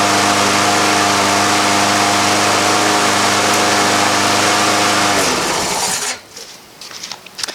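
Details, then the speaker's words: Free lawn mower started after adding a little gas and priming a few times, needing no repair: small engine holds a steady, even drone for about five seconds with no miss or surge, then shuts down; normal healthy running. "that's too easy now it wasn't even a project didn't have to fix anything on it"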